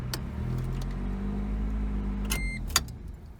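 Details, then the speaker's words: 1988 Toyota Corolla after partial carburetor rebuild, idling in drive: low, even hum with steady beat and no misses, running on all four cylinders; normal idle, idle drops in reverse, no coolant or fuel leaks. "And then drive is where it sounds good. You hear that? Most importantly, it's running on all 4 cylinders."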